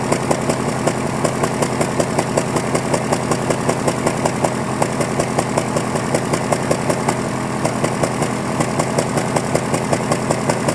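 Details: 2001 Honda Prelude cold morning idle, check-engine codes for cylinder 2 and random misfire, black tailpipe, burns 1 qt oil per 1,000 miles: uneven stumbling beat about 2.5 pulses a second with dropped firing; owner suspects worn piston rings pending compression test.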